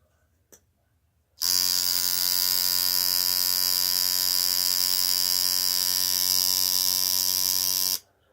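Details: Tattoo coil machine, tuned without a needle. A steady, even high buzz holds for about six seconds with no stutter or change in pitch, so it is running properly.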